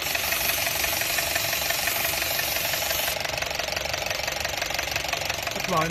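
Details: Honda City on CNG after repair of rough running and stumbling at idle and hesitation: even, steady idle with a fine regular tick, no stumbling or dropouts; runs smoothly.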